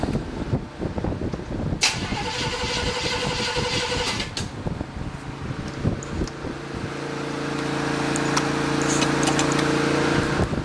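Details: Sunday-morning cold start of a freshly built 283 small-block V8 that still needs tuning: brief cranking, then it catches and settles into a steady, slightly lumpy cold idle with even firing and no knocks. Normal cold start.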